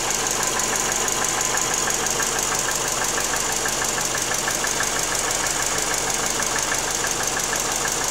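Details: 1997 Subaru Forester SF5 turbo boxer, cold engine at idle: steady light knock about three per second from cylinder 4, cold piston slap.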